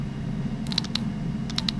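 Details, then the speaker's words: Crisp clicks in two short bursts as a spare solenoid is given 12 volts and switched to ground on and off, shown during dyno electronics work on a single-turbo RWD-converted flex-fuel Trailblazer SS; normal solenoid clicking. "I got 12 volts and ground hit so I'm gonna turn it on/off"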